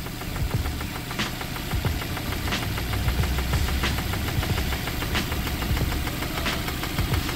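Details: Suzuki Ertiga engine at idle: steady, rapid metallic knocking deep in the block with heavier thumps about every second. The noise stays with the AC and alternator belts removed, so it is internal; rod knock.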